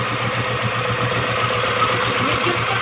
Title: misfire engine #cheryqq